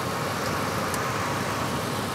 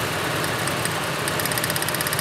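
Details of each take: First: Ford F-150 with waste spark ignition after misfire diagnosis, cylinder six now firing: steady even idle with no skip or stumble; the constant miss is gone. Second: Ford F-150 with waste-spark ignition, misfire persisting after new coils, at idle with hands around cylinder six; fast crisp snapping ticks over a steady idle, possibly lifter tick, injector also suspected: secondary ignition arcing.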